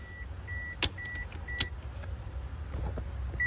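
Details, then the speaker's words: 2008 Toyota Corolla with no crank, no start and no ECM communication; fuses and relays check fine. Turning the key gives only high chimes and clicks, and no power comes out on the black-and-white ignition switch wire, so the check engine light stays off. "there's no power [Music] the check engine light doesn't turn on"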